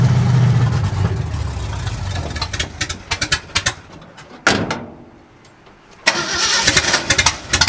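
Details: 1965 Ford F250 Camper Special with a rebuilt 352 V8: stumbles and surges unevenly after firing, then cuts out and restarts. An ignition circuit fault is suspected, either the ignition switch or the wiring including the resistor wire.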